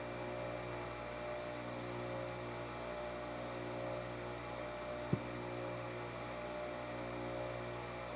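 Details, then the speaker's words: Bench grinder during a four-run balance with the weights moved back to the zero position, accelerometer on a Falcon collector: even, steady hum with no wobble or throb. Close to balanced at about .16 in/sec, down from .80 originally. "Just for grins, we're trying it at zero. Hm. Feels pretty smooth."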